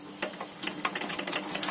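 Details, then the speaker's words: DIY electric go-kart on an early test drive, with no brakes yet: irregular light clattering and ticking from the chain over a faint motor whine. Builder suspects two missing front bolts and says it is better than before. Chain rattle, cause unconfirmed. "chain seems pretty decent it's doing a little bit of rattle like you can hear it probably yeah I can feel hear something much better than before it it's it looks smooth but you can definitely hear it making some noise"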